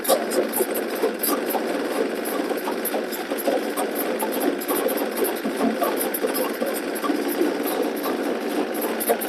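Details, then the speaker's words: 2003 Yamaha XLT1200 two-stroke personal watercraft, first start after reassembly, before water hookup, mic on the filmer's left shoulder: busy, buzzy two-stroke running steady with no knocks or misses, slightly distorted, sounding healthy and normal. "It sounds like it should for a two-stroke. So, we're good to go."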